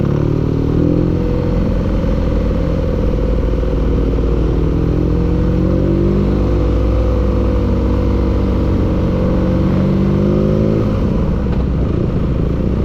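Engine running with a heavy, uneven low rumble and a clattering knock riding on it as revs shift; knocking, cause unclear.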